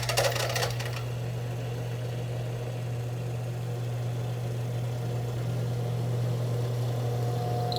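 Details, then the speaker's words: Alternator on a bench test rig driven by an electric motor, with a multimeter on the battery. There is a steady low drone with no whine, rattle or bearing growl. The voltage regulator is working and charging at 13.5–13.7 V, so the alternator is normal. "Como a gente pode ver aqui, o alternador está funcionando bem. Ele está carregando a bateria, tá? O regulador de tensão está funcionando e ele está carregando com 13,5, 13,7."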